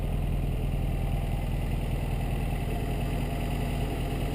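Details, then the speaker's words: 1952 MG TD with a 1250 cc (1.25 L), 54.4 hp engine rebuilt about seven or eight years ago: a smooth, even four-cylinder idle with a soft steady pulse and no knocks or misses; the engine sounds very good. "you can hear the engine it sounds very good it's a 12 150 CCC engine 1.25 L"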